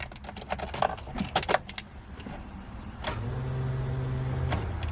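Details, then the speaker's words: Mitsubishi Evo 8, first start attempt after 8 years, in neutral with clutch in: key on gives fuel pump priming whir and handling clatter but no cranking; starter dead, replaced with one from another Evo. "i'm pretty sure the starter is no good so we're gonna have to take the starter out of my evo"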